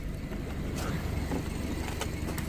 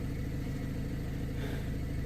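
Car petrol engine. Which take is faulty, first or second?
first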